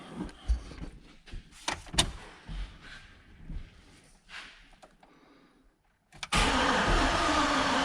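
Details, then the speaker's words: Chevrolet Silverado that now reads RPM on the scan tool after a repair aimed at restoring spark: the starter spins the engine at an even steady rate but it never fires. It is still a crank, no start. "No, exactly the same as before. Great. Awesome. Excellent. Wonderful."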